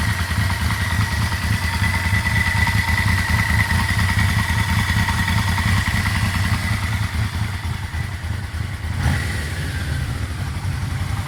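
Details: Yamaha Vmax idling about 1,000 rpm, warming up with oil pressure dropping from 50 cold to below 20: dull, loosely regular knock about three per second appearing once warm; owner suspects low oil pressure.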